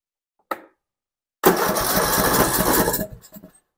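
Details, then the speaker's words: Poulan Pro 300 EX Series riding mower, fuel line not clogged, key switch has power: one click then steady cranking that never catches; no click from carburetor fuel solenoid, so no power to it, cranks but won't start. "so if you you put your hand and your fingers on that solenoid and you turn the key on you you should be able to feel it click or hear it click and it's not doing that so we don't have power going to that solenoid on the carburetor"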